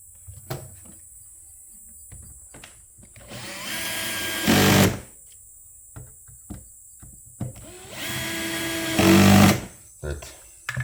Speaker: noise you're hearing is the clutch of the drill slipping it's not something breaking so don't be alarmed